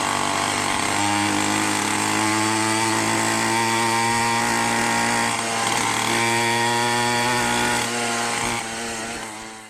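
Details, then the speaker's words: Minarelli two-stroke on a motorized bicycle with a 110 main jet: starts easily and revs cleanly, with a faint burble near the top; still a touch rich. "Man, she starts up easy. Actually sounds a little fat on the very top still."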